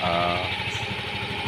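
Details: Yamaha Mio Gravis scooter after repair: smooth, even idle with a steady beat and no ticking or rattle from the top end; the earlier loud noise was fixed by replacing the tensioner.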